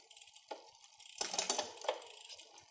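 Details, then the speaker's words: Bicycle rear derailleur after applying cable tension, shifting up the cassette: several crisp light clicks then quiet running; chain slotting cleanly into gears, well adjusted. "we're just going to shift up you can hear it's slotting into the gears pretty"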